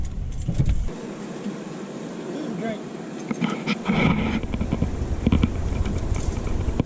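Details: 1979 Chevy C10 with factory 454 big block, first start after sitting five years on old ethanol fuel: catches and runs unevenly, then dies and is cranked again; stalling, owner suspects a bad fuel pump.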